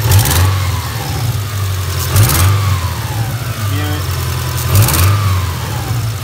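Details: 2000 Subaru Outback flat-four, 280,000 miles: light ticking about four per second over idle, quickening with throttle blips; owner suspects sticking lifters, unconfirmed.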